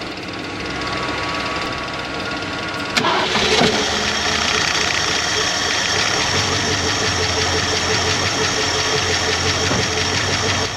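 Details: 1966 Ford Mustang fed through a temporary click-clack pump straight into the carburetor: engine catches just before three seconds and settles into a steady, even idle with no knocks or misses, oil pressure coming right up; normal start and idle.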